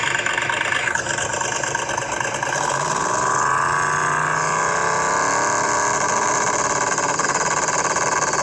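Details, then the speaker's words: Twin-turbo LS-swapped 1969 Chevelle on a dyno pull, running very rich, nitrous possibly on with an empty bottle; engine roars with rising turbo whistle, then a fireball and boost sags near the end. Turbo boost drop, cause unconfirmed. "that little Fireball came out and you can hear the turbo take a nose dive"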